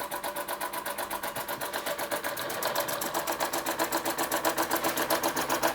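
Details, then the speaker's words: Restored Empco B-43 model steam engine finally running under its own steam after full restoration: crisp, even exhaust chuffs about four per second over light mechanical patter; runs steadily and sounds healthy. "so the MCO v-43 finally running after all this time"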